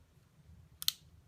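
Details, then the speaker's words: Xbox One controller, bumper button tested with the bumper off: a crisp double click as press and release land about a twentieth of a second apart, sharp and clean. The switch itself clicks fine; the problem lies in the wobbling bumper and pad. "it actually has a really nice click to it."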